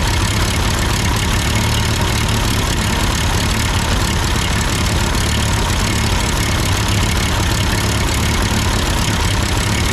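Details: Ford 8N tractor idling after an amateur adjustment of the carburetor: steady, even low rumble with no misses, surging or knocks; sounds good, normal idle.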